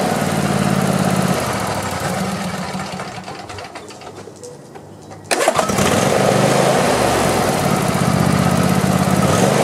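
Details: Craftsman YT4000 lawn tractor, after sitting in a barn for years, dies, then restarts with a quick catch and settles into an even, steady idle without misses. It sounds healthy and may need a carburetor clean.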